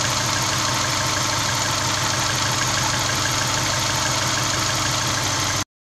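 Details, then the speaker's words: Subaru Baja after cleaning and lubricating the idle air control valve, which previously idled high around 1,800-2,000 rpm and hunted: idle drops to a steady 750 rpm with no surging. "start it back up right away my rpms drop down 750 the first time has done that in about three months"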